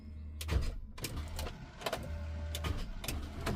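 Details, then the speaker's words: Mini Cooper S bought unseen, fresh battery fitted: starter groans in short uneven bursts with low hum, never turning the engine over, which only rocks; engine seized. "as you can tell from that clip the starter is trying to engage now when I turn the key you can hear is trying and that's the engine literally rocking"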